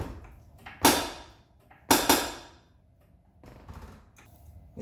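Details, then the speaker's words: 2001 Subaru Impreza 2.5 RS, car being jacked up on the rear: quiet background broken by a few sharp clunks, two close together, as the body moves; rear suspension clunk/creak, usually louder, cause suspected, not confirmed. "so that's the sound i was talking about it's not as bad on that video but on other times it would actually creak like a lot"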